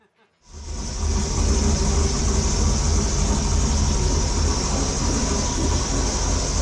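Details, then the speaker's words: 1973 Ford Torino LS V8 swap, engine came right to life on startup before road trip, settling into steady even idle with loud open-intake hiss (intake pipe unconnected), no knocks or misses; normal idle. "Dude, it came right to life. Like, I don't even know if I believe that. Are we pouring any fluids? We're not pouring nothing. No way. It didn't even sound that bad. No, that sounded really good."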